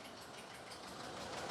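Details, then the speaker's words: 2019 Ford F-59 commercial, 6.8 V10 gasoline, P0304, running with valve cover off, heard on opposite bank from cylinder 4: even, busy rocker clatter with no standout tick; normal valvetrain noise on this side. "si me voy a aquel lado a aquel lado no hace nada de ruido"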